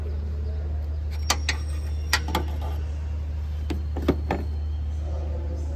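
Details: Toyota Yaris being checked for engine noise, drive belt tensioner replacement: low smooth steady drone with a few light handling clicks, no squeal or chatter; normal idle.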